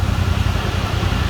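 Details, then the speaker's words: Polaris RZR XP Pro Ultimate after overheating toward 220°F, temperature back down to 202–203°F: steady even idle with soft rush of the radiator fan on low speed of its two-speed fan, running normally. "I did notice one thing. See, it came down to 203, 202. And the fan is on low speed now."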